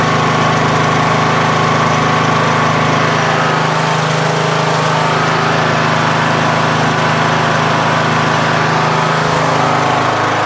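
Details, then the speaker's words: MTD Yard Machines 20 hp lawn tractor with a Briggs single-cylinder overhead-valve engine and CVT, after valve lash adjustment for stalling once off choke: steady, even drone with no misses, surging or stumbling, now running well. "now runs pretty good"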